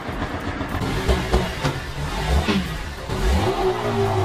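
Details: Yamaha SZ after 183cc bore kit install, 30mm carburetor, stock air cleaner, muffler fitted: engine pitch climbs and falls with each throttle blip, pulls evenly without misses, music in background; normal revving.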